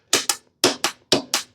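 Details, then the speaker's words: Hustler zero-turn mower with Briggs & Stratton engine, starter jumped direct from battery: sharp paired clunks about every half second with no cranking; engine locked up by rust and corrosion from sitting. "you hear that it's not doing anything so do we have a bad starter"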